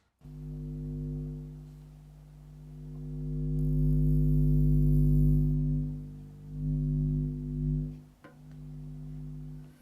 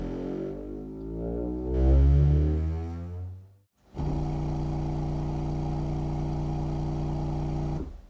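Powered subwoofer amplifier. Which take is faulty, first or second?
first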